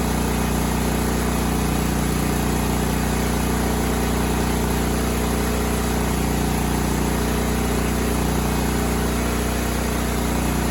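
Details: Cub Cadet 2166 mower, 16hp horizontal Kohler Command single-cylinder engine, running after a new fuel pump and a replaced brake spring switch activator. It needed priming, then ran a steady, even thump around 200 beats a minute with no misses or surging. Healthy.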